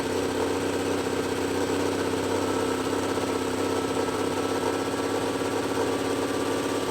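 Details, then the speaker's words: Old Cummins L10 diesel semi truck, stored roughly 23–30 years, first run after one puff of ether, stuck around 2500 rpm; steady fast drone with no turbo whistle. Turbocharger seized, not spinning. "well the old L10 cumings came right to life see a turbo is still stuck not [Music] spinning"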